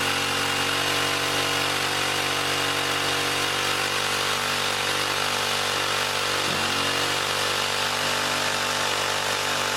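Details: 1959 military single-cylinder engine run off a fuel line dropped in gas: loud steady fast roar that never settles, won't idle; governor faulty or its bent linkage rod binding despite loosening and straightening; governor to be eliminated for mini bike use.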